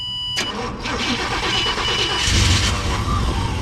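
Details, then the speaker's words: 2004 Chevrolet Tahoe with no fuel pump operation: brief crank, then the V8 catches and idles steadily only while the pump is fed voltage directly, then dies; voltage lost at the fuel pump fuse, with corrosion found on the wiring. "i am giving it voltage right now so we lost our voltage on this fuse so we got to track back see now it's going to die so we need to find out why we lost voltage out of this wire"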